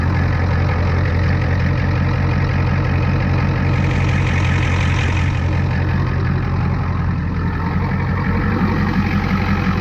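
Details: 1989 Ford F250 7.3 IDI diesel, first start from the cab: steady low diesel clatter at idle holding an even beat without stumbling; idling properly.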